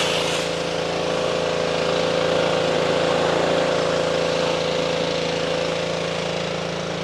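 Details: Simpson 2.4 gallon petrol pressure washer after replacing the pump for lost pressure (unloader repair failed): steady engine drone with even pump pulse about four per second, no surging or knocking; running smoothly.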